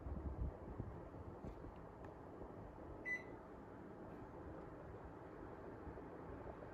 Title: Panasonic Air Cond 1.0 HP Standard Model Operation and Fan Sound